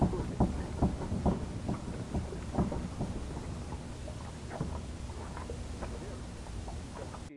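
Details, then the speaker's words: Peugeot 206 rear axle: worn needle bearings have worn the axle, giving irregular knocks and squeaks from the rear over road rumble while driving; fix is replacing the bearings with nylon bushings. "esses rolamentos já criar um desgaste no eixo então o carro começa a fazer barulho na traseira e um chiado como vocês podem ver aqui ó"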